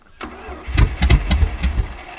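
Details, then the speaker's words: Car with straight-out extractors, in a paddock: the starter turns the engine in quick even pulses, about six a second, but it never catches; owners suspect it is not getting any fuel. "that's alright i don't think it's going to fire she's dead i wanted to start though because it's straight out extractors and it does sound tough this thing"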